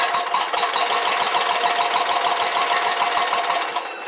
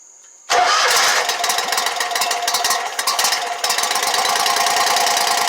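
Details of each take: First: Exmark Lazer Z 72-inch mower, no-start, with fuel squirted into the carburetor throat: fires and chugs evenly for a few seconds, then fades as primed fuel is used; spark and compression confirmed, fuel shutoff solenoid gets no power. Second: Exmark Lazer Z 72-inch commercial mower after a no-start repair, with fuel refilling the carburettor, catches quickly, stumbles briefly, then settles into a steady, even idle.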